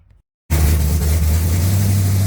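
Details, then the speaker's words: 1980 Pontiac Trans Am V8, cold, not started in a long time, after distributor install, head work and new TH400 build: catches after a gap and settles into deep steady even idle, no valvetrain noise; runs well. "there's a little bit of spillage from doing the heads but uh yeah no valve training noise everything sounds looks good and it moves all by itself"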